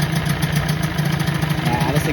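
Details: 1984 Johnson 25 HP two-stroke outboard, just after first start with lanyard cut-off and kill switch removed: steady, low, even idle burble with regular firing pulses, no stumbling; healthy idle.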